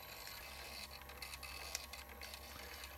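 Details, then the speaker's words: First-version Wolverine Reels2Digital MovieMaker 8mm/Super 8 converter, opened up; take-up reel keeps stopping. Faint uneven ticking and rattling over a quiet whir, a recent abnormal noise; owner suspects the sticky, melting drive belt, with tar-like gunk on the drive pulley. "I don't know if you can hear the noise that has started up this is a fairly recent addition to the operational sounds of the Wolverine I believe it may have to do with that sticky drive belt"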